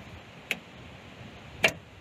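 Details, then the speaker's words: Generac home standby generator in manual start; two contactor clicks but no crank, battery charged ~14.11 V and holding; starter replaced once before, starter or battery failure suspected again. "we put it in manual hear the click so we're here in a contactor click which is this device right there but it's not starting"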